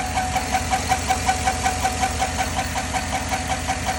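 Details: 2010 Chevy at idle: sharp, even ticks, about two to three per second, over a smooth idle; top-end tick, owner suspects lifters, not confirmed.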